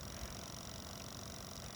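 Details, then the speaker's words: Portable washer and spin dryer for campers, RVs and apartments, running a wash cycle (15-minute wash timer, strong/normal wash, drain cycles): fairly quiet, low steady hum with no knocking, squealing or grinding; normal healthy running. "And as you can see, it's fairly quiet. Doesn't really make a lot of noise."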